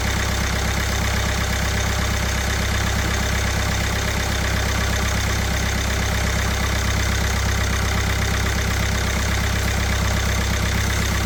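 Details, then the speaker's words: Kia Sportage 1.7 diesel after the injectors were cleaned, copper seals replaced and a new rocker cover fitted: smooth steady idle, soft even pulse, no miss or knock. Runs fine, though injector 1 was then found leaking fuel. "Sounds good, looks good, should be good."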